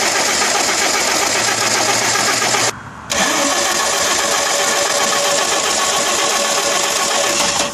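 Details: 1992 Audi 100 2.3E, 5-cylinder 2.3 L AAR with K-Jetronic, after new fuel pump, spark plugs and fuel filter: long hissy cranking, brief stall, then rough uneven running; injectors #1 and #2 appear not to spray the same amount as #3–#5; hard start with misfire.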